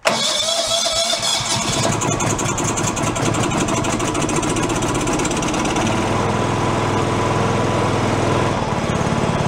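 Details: Free John Deere lawn tractor revived, running on choke as fuel comes up: catches and settles into a steady, even mid-pitched run without misses or surging; normal running.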